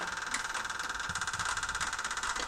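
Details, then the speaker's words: Jeep Wrangler abandoned 20 years, suspected bad head gasket with a miss, mismatched spark plugs: fast even light ticking, about a dozen clicks a second; suspected valve train noise, owner wonders about sludge, not confirmed. "That's got to be valve train making that noise. I'm sure of it. As it's slowly losing pressure, but snapping Yep. into position. I wonder if that ticking noise is a sign of like sludge."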